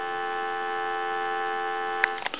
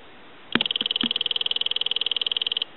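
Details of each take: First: Western Electric Sculptura donut telephone, handset answered: clean, steady two-note dial tone hum with no crackle or dropouts, then a couple of handset clicks; dial tone normal. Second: Western Electric Sculptura donut telephone, after installing a bridge rectifier polarity protection circuit, ring test with phone base by microphone: thin, rapid, dull damped ring about two seconds; ringer barely audible, muffled.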